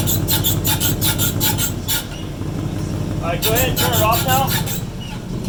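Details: 2014 Mustang GT with a newly installed one-piece aluminum driveshaft: a rhythmic high chirping squeak of about three a second over a low engine rumble; unknown whether it is normal break-in or a serious problem.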